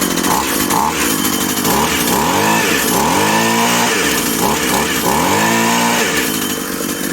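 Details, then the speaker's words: Husqvarna/McCulloch Tivoli 65 two-stroke hedge trimmer, about 17 years old, idle 15 years, after replacing perished fuel lines; throttle needs front and rear triggers; crisp buzz rises and falls cleanly with each blip, no bogging, revving freely and healthy. "Lo que decíamos, el gas, si solo aprietas atrás no va, necesitas adelante y atrás."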